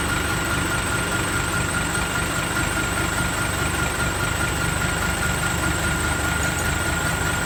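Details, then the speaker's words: Diesel engine idling just after a new turbocharger of the same brand as the original was installed: a clean, steady high whistle with no rattle or scraping, sounding the same as before. Normal turbo whistle. "เอ้าเอ้าอืเทอร์โบดังแล้วครับหวานเจี๊ยบ"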